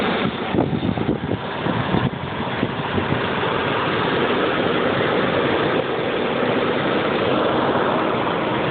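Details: 1995 BMW 750iA M73 with 170,000 km, uneven rough cold-start idle with unsteady pulsing and faint light tapping from the lower passenger side of the engine bay; the seller suggested a possible exhaust leak, cause unconfirmed.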